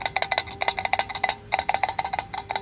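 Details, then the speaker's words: 125cc moped with a cheap exhaust baffle: rapid tinny metallic clatter in irregular bursts at idle, acceleration and deceleration; loose internal baffle, planned fix is re-seating with high-temp gasket sealer. "my baffle has become loose you might be able to hear it you could definitely hear that"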